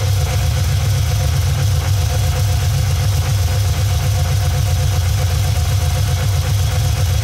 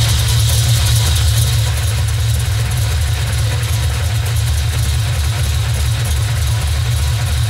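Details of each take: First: Cammed Vortec V8 OBS truck with new Summit Racing Max Performance carburetor, during vacuum-gauge tuning of idle mixture screws (quarter-turn adjustments, vacuum near 15): deep steady burble, already smoothed out a lot, even with no misses; normal idle. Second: Cammed Vortec V8 OBS truck, first start on newly installed, untuned Summit Racing Max Performance carburetor after pumping it: low, uneven loping idle that stumbles, rougher than usual; needs vacuum-gauge mixture and idle tuning.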